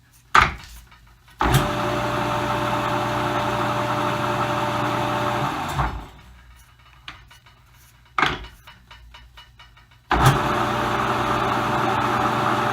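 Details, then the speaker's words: Vintage lathe Dominion Auto-Drive gearbox after changing to fresh 15W-40 oil: each run brings an even, steady low hum with no knocks or grinding, then spins down cleanly; the gearbox sounds healthy. "sounds good so far but there's no gears engaged at the moment"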